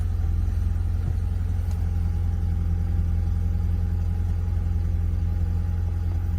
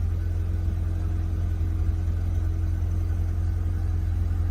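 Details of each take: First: Audi TT 1.8, barn-stored 8 years: on the first start it holds a steady, deep drone at a raised speed; idle running much too high. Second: Audi TT 1.8, first start after 8 years stored in a barn, earlier running at high RPM: steady, even low rumble, very quiet, with no knocks, misses or hunting; normal idle.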